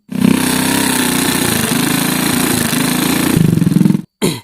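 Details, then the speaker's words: Motorcycle engine running with a fast, coarse rattling clatter from the cylinder head front and cam chain area. The head parts were recently replaced; the owner suspects the cam chain and the mechanic suspects the oil pump gear. Rough top-end noise, cause unconfirmed. "terus kedengaran suara kasar di bagian depan sini dan juga bagian keteng Ini sementara dia yakin nya cuman suara dari ketengnya makanya dia belikan keteng yang baru minta gantikan sama kita"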